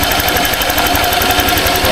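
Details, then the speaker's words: Honda Click 125i scooter at idle after a DIY tune-up with the gap reset: a steady, even, smooth putter. The earlier ticking is gone and the engine idles normally. "Sure na tayo na ayos na yung kanyang gap. Ayun, ang ganda ng tunog niya."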